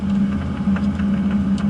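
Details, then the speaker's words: Automatic-transmission car in a parking lot, in gear below 1500 rpm right after an upshift. A low, even engine rumble with no whine, which comes in near 1500 rpm at the top of a gear. "You can hear, see how now you just hear the rumble, rumble, rumble?"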